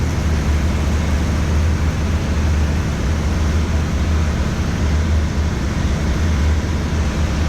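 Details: Pressure washer in steam mode, burner heating up with wet steam starting to come out, said to sound a little funny; steady deep rumble with constant hiss, no surging or knocking; normal steam-mode operation.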